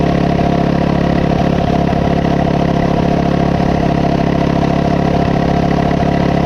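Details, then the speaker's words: Coleman CT200U-A minibike, 196cc single, at idle after carb gasket replaced: fast, steady revving, about three beats a second, never settling despite repeated carb adjustments. High idle; cause unknown, owner wonders about the clutch. "I just uh man I don't know I cannot get it to uh to mellow out it'll run okay on those adjustments"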